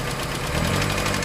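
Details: Proton Wira 4G91 engine idling, sound heard at the top: rapid, light, regular ticking from the top end, knocking caused by badly jammed hydraulic lifters, to be serviced.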